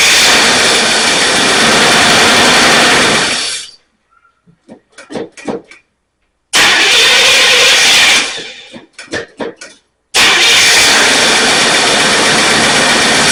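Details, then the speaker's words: Pontiac Firebird V8 that sat 8–9 months, cranked after installing the fuel tank and filling the carburetor. Bursts of loud cranking and rough catching with pauses between tries. Once running it had a noisy lifter and a couple of cylinders down. Hard start after long storage. "It's been sitting, I guess, about 8 or 9 months. So it'll probably be a little hard to start, but we'll see what's going on."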